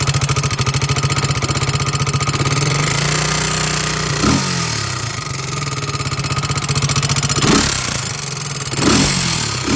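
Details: 2002 Honda 300EX quad idling with a loud, fast, steady tick riding on the single-cylinder firing beat, louder on the right side of the motor than the left; top-end tick, cause unknown.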